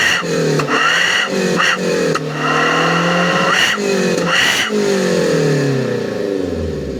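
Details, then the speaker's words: 2012 Daihatsu Gran Max blind van, dewy morning, revved repeatedly: raspy, boomy exhaust note rising with throttle; modified exhaust with catalytic converter removed but a lower muffler fitted, giving loud exhaust and quick throttle response. "oke memang knalpotnya sudah dimodifikasi jadi ngegas mobil ini lebih senang lebih suka"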